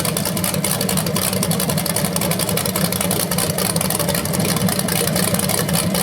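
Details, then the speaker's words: BluePrint 396 crate engine (big-block V8) for a 1970 Camaro SS, first run: loud, steady, even rumble with quick regular exhaust beat, no knocks or ticks, no leaks; flywheel sounds somewhat different revving than previous flex plate. "Well, so there it is, guys. First run of the engine. It sounded good."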